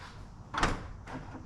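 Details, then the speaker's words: 2006 Acura TL after installing a new trunk lock latch actuator, release button pressed inside car: one sharp clunk as latch lets go, then lighter thud as lid lifts; trunk release now works normally. "voila and she does trunk is back open I'll show you guys again close this door too trunk release pops right on up"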